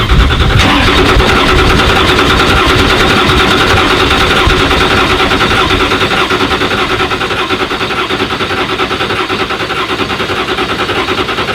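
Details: 2017 Ford GT, 3.5-liter 600 hp V6 EcoBoost, fast steady starter cranking for many seconds without ever firing during repeated start attempts; crank no start, mechanic suspects a spark plug problem.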